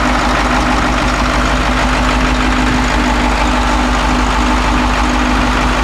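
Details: Caterpillar 225 BLC excavator diesel after head reinstalled with new bolts, valves adjusted, new ignition switch and coolant refilled for a water leak: steady, even idle with a constant low drone, no knocks or misses; running smoothly.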